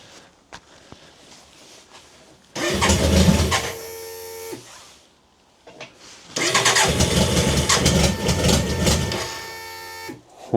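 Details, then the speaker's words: BMW K100 motorcycle during fuel pump replacement, fuel in tank with no bubbles: two cranking bursts of about two and four seconds; the engine spins and nearly catches but never runs, a no-start. "you can hear it once to start it's just not going for whatever reason"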